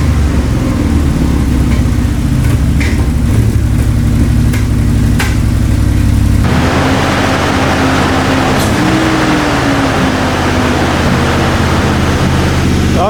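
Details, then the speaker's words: 1990 Toyota Pickup with swapped 3.4L 5VZ-FE V6, after radiator refill; ECU suspected bad: idle sits too high with uneven stumbling beat; persistent misfire, cause unconfirmed. "it's starting to run a little bit better but still definitely has some sort of a miss you can hear and it's idling a lot higher than it should be too"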